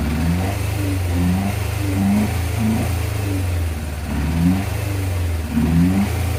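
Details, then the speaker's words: 1987 Yamaha FZR1000 Genesis after cleaning its four carbs, freeing the clutch and flushing the brakes, first start after priming: repeated clean blips that rise and fall smoothly with a crisp, even note and no stumbling, though the idle screw may need adjusting. Normal revving. "Oh, the old girl began has started waking up here. Now it sounds like a sport bike."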